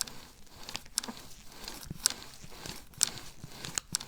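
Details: Integrated cockpit bike with fully internal cable routing, before headset service, bars turned: irregular light ticks and rattles with no steady rhythm; cable housings slapping around inside the frame.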